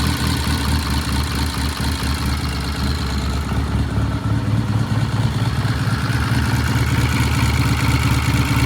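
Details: Vintage British motorcycle after 5-speed gearbox repair, started on one kick and warming up: steady, even low thump at slow idle with no misses, surging or rattles; great idle, though throttle cables need freeing.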